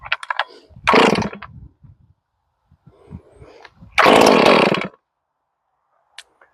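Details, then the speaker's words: 461 chainsaw, freshly ported with new Caber rings and a repaired spark plug hole, first pulls after rebuild: two short bursts where it catches and fires hard. The ignition coil works and the engine fires. "Nice. That means that the coil works."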